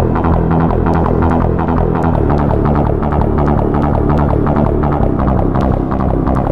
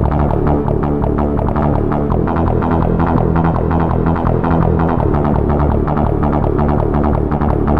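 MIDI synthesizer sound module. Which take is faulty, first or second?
first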